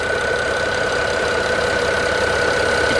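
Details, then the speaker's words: Used BMW 5 Series idling with a light, fairly quick ticking from the valve cover area over a steady whine; a slight shake like a misfire is felt, check engine light works, quick pre-purchase inspection only. "there's a little bit of a ticking noise coming from the valve cover area area"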